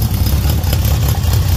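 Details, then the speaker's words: 1978 Honda CB750F Super Sport four-cylinder motorcycle started cold first thing in the morning on choke with a jump pack; steady, even patter with no ticks or knocks, oil light off with oil pressure; normal cold idle. "Listen to that, guys. 1978 at its finest."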